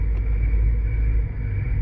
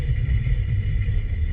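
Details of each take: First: 2006 Nissan Altima with thumping brake complaint, chassis-ear microphone 1 during on-road braking: steady low road rumble, ordinary brake noise with no thumping or rhythmic pulse at this corner; brakes sound normal here. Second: 2006 Nissan Altima under on-road braking, chassis-ear microphone 3 on the rear passenger side: uneven low thumping rumble pulsing through the chassis; shiny raised hard spot on that rear rotor, and both rear brakes sound faulty.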